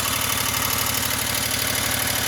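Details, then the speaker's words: Wright Stander ZK mower after hydro pulley replacement: engine runs steadily with a quick regular pulse underneath and a loud, hissy whir over the top; some whirring remains, source still unidentified. "It's pretty smooth. Let's see what it sounds like over here. There's still some sound. Still a whirring of some sort."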